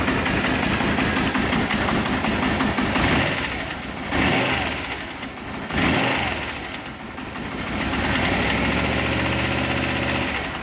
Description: First attempt to see if the Venturers can help me with a strange noise I have in my RSV